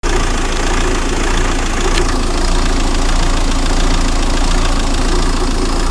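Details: 2000 Renault Laguna 1.9dCi 110hp (B56W), 240,000 km: rough lumpy diesel idle with RPM slightly rising and falling, also under light acceleration; solved by replacing the fuel pressure regulator valve on the high-pressure pump with a new Bosch one.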